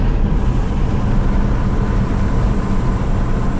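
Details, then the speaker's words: Deleted, tuned 2012 Ram 2500 6.7 Cummins after replacing a broken pressure line (part 68038087AA) that had killed the turbo whistle and changed the exhaust brake sound; windows down, exhaust brake on: steady deep even roar; normal exhaust brake sound. "Oh, it sounds normal now. Boy, that's nice."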